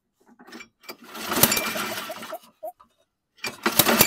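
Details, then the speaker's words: 2009 Toro Recycler 20339 push mower with no compression: sharp pops on each rope pull, kicks twice but never runs; owner suspects backfiring through the carburetor, possibly leaking through the head, unconfirmed. "see it kicked off twice there but it sounds like sounds like a backfiring or is it leaking through the head"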